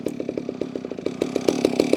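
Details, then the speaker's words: Holzfforma G660 chainsaw warming up on a chilly morning; it had been losing power at top RPM and four-stroking. The idle has an uneven, pulsing burble that surges and fades, so the low-end mixture needs adjusting. Rough idle. "yeah, that low end needs to be adjusted because it shouldn't act like that."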